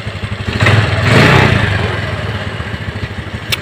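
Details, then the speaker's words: Suzuki Spin scooter after servicing a sticky carburetor vacuum (previously erratic idle, revving or stalling by itself): even, steady putter about three pulses a second, one brief throttle blip, idle now normal and settles cleanly. "Ini kelihatan untuk langsamnya sudah normal."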